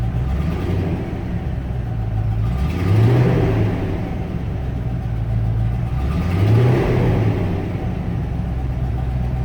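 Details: 1994 Range Rover V8 after vacuum pipework work on engine running issues: low rumble picks up cleanly in two smooth blips about three seconds apart and drops back evenly; throttle now responds freely, much improved.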